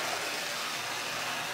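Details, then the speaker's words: Lionel #60 trolley motor, decades-old garage find, with power almost full: steady rough hissing buzz with a gritty, growling edge, no clean hum; growling motor. "kind of growly and the power is up almost all the way don't seem to matter"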